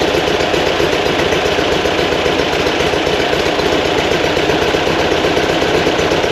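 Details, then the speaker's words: Fresh 2180cc VW flat-four for a 1968 single cab at first start for break-in, timing set; steady even idle about 1200 rpm, a little high intentionally for easier driving, no knocks or misses; healthy. "so high on the Isle here right 12 Hunter is that what you like I a little high makes it easier driving"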